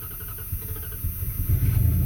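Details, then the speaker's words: 1994 Dodge Dakota 5.2L V8 that wouldn't start when cold (relays clicking continuously) after the bad PCM was replaced; fuel pump kicks on at key-on, and the engine catches and settles into a low, steady rumble: normal start and idle. "look at that i solved the problem as soon as i turned that key i could hear the fuel pump kick right on so that's the issue guys pcm was bad"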